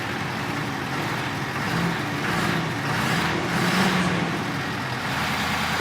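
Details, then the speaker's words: Ford F-450 after flushing gas out of the fuel system and injector lines, screaming noise gone: idle still a lumpy, uneven chug rather than a smooth beat; rough idle. "it's still chugging a little bit"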